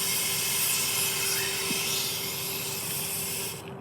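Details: 2003 Spyder Xtra paintball marker from a yard sale, aired up outdoors after test firing. A steady, sharp hiss of escaping air runs on, then cuts off near the end; air leaking from an unknown spot.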